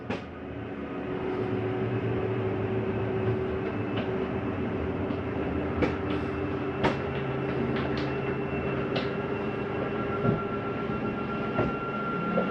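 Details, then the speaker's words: 2021 Mesa Ridge 355MBH travel trailer, dinette slide-out retracting: steady motor drone with scattered sharp clicks as the slide seats; the mechanism's clutch slipping at end of travel to stop further movement, normal, not grinding. "once you hear that it is okay to hear that that is the slide mechanism telling itself not to come in any further nothing grinding like it sounds like"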